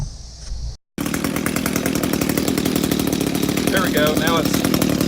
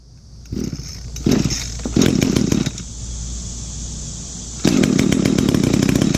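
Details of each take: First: Echo GT 200R with new Zama carburetor, after turning idle screw in to raise low idle: steady even two-stroke buzz, no hunting or dying, good throttle response; idling properly now. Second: Echo GT 200R trimmer, two-stroke, just fitted new Zama carburetor, started on choke and primer: catches after sputters, settles to a low uneven idle near stalling; idle set too low, needs idle screw turned in.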